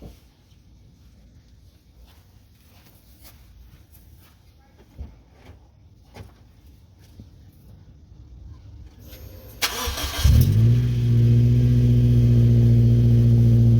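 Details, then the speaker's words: 2013 Subaru Outback after a trailer hitch installation that disturbed the exhaust: clatter, then crank and start, settling into a loud, boomy idle with a low drone, louder than normal; owner thinks a new exhaust gasket is needed. "Well, it's definitely louder than normal."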